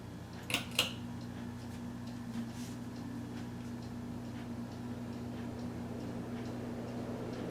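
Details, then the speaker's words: Late-1980s 42" Bahama hugger ceiling fan, installed close to 40 years ago, on high: a faint, steady low hum at one even pitch with no grinding or rattle, coming right up to speed. The bearings are good. "right up to speed no problem moves quite a bit of air and there's medium and low"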